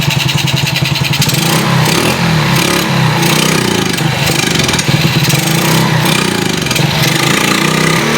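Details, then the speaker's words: Yamaha Spark X1 motorcycle after reassembly and timing-chain upper guide replacement, timing marks checked: engine chugs unevenly, won't rev even with throttle opened or carburettor covered; owner suspects flooding/rich fuel, unconfirmed. "ถึงแม้ว่าเราจะทำการเปิดปากทองนะครับเรามองว่ารถอันนี้มีอาการน้ำมันท่วมน้ำมันหนาเปิดปากกองช่วยมันก็เป็นเหมือนเดิมนะครับมีอาการเล่นวอดเล่นไม่ขึ้นนะครับ"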